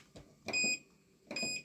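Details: Power station beeping its overload alarm with two short, shrill beeps about a second apart when trying to start a clothes dryer on solar power; it can't run the dryer.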